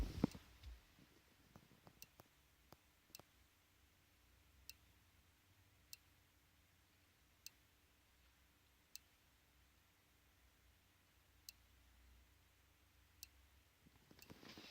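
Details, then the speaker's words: Known-good Lexia diagnostic interface in a car's OBD port, detecting all modules. Sharp single relay clicks come every second or two over near silence as each module is found: normal relay clicking during the scan. "This is the working unit, by the way. It's detecting them all. Yes. It's making each individual relay click."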